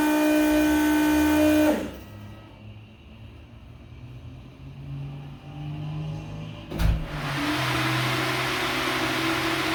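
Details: V8 after header installation with exhaust back under the car, first start in about three weeks. Loud, deep burble settles to a steady idle, then a sharp rev climbs cleanly; louder in-cabin with seat vibration. Smoke is drying header silicone. Normal idle and revving.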